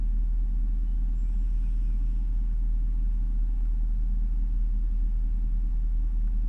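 Deep, low idle rumble with an uneven, lumpy beat of about two or three pulses a second instead of a smooth hum; rough warm idle.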